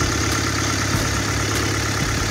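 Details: Honda D16 engine just after water pump and timing belt replacement, done because the old pump leaked from its weep hole; smooth, even idle with a steady low hum, no knocks, ticks or squeals — running healthy.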